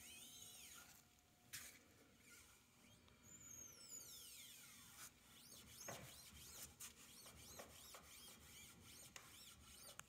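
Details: 2012 Chevy Equinox, right-front wheel hub recently replaced with a cheap aftermarket unit: faint thin squeaks sweeping up and down with light clicks at very low speed or creeping in park; seal suspected.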